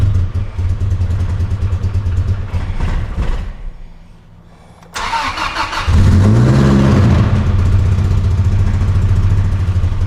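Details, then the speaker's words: Truck's first start after a rebuild, fuel pump primed: catches but runs ragged and fades almost to a stall, then restarts with a flared rev. New injectors didn't fix it; the cause was a missing vacuum line at the PCV. Lean running from vacuum leak. "At first, it was rough. So, we tried injectors. Injectors didn't fix it. Then, homeboy realized that we're missing a vacuum line that goes between the PCV PCV, which is I I Is it PCV"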